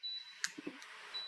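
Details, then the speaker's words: Grizzly G0944 dust collector remote receiver, 18 months old, giving two short bright confirmation beeps with soft clicks as it switches on or off; intermittent remote switching, owner suspects the remote's circuit board. "It beeps every time that it either turns it on or turns it off. Okay, it's not working all the time."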